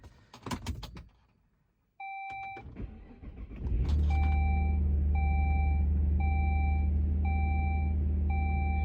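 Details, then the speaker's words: Saab 9-3 Aero SportCombi 2.8, manual: after all ignition coils and spark plugs were replaced to cure a misfire, the chime beeps, it cranks, catches cleanly and idles smoothly without the earlier burbles or stumble. "I guess I'll let it settle down to an idle, but I don't hear the burbles that I did before, so let's give this thing a test drive."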